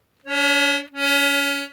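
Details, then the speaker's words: Accordion restoration, final bass reed block on the tuning table with both holes uncovered: two held bass reeds buzz together with a slight beating waver; the outside reed at the end of the block runs sharp. "So the outside reed is running sharp. So what I'm going to do, I'm just going to tackle that one and I'll show you what I've done in a second."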